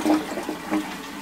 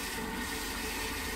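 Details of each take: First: Post-1945 STOM Cardiff 146 syphonic cistern fitted with a replacement bell that clears the cistern bottom: brief clean rush of water with even gurgles, no knocking; flushes better than before, normal flush. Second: Post-1945 STOM Cardiff 146 cistern before restoration, not yet flushed: a steady, nonstop hiss of water trickling in with no pause, as the failing float valve never shuts off.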